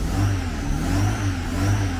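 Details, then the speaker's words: Fiat 147 engine swapped into a Fiorino pickup, revved after install: pulls up smoothly with an even, full, very round exhaust note and no knocks or misses, despite the engine having been condemned earlier. Normal engine revving. "but when it works it's It's really good , people, the noise is very round, the engine is very round for those who had condemned the engine earlier, huh, look"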